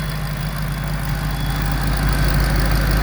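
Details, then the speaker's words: Ford Shelby GT500 5.8-litre V8, 9,000-mile engine, 300–400 miles after repairing valvetrain/chain tensioner noise traced to a cylinder-head casting defect: deep, smooth, even idle, no slap or rattle; compression 180–185 on all cylinders, normal idle. "Sounds pretty too. Yeah, we bore scoped it. All the cylinders are clean."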